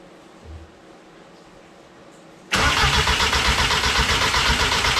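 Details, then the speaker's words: Mk1 VW Rabbit with DQ250 gearbox swap, running E85, battery borrowed from another car: quiet, then steady rapid cranking about four beats a second that never catches. Crank no start because the ignition coil was not grounded. "Oh, here it is. Dumb ass boy. I know. I know. The coil is not grounded. How about that?"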